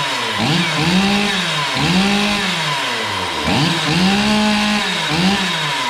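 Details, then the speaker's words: Stihl MS440 chainsaw, previously losing power at high rpm, after gasket delete (about 0.022 in squish), carb leaned slightly, 24-inch bar: revs up and drops back cleanly, holding strong at top; normal healthy running. "this all runs really good i leaned it out just a touch not much but it runs real good"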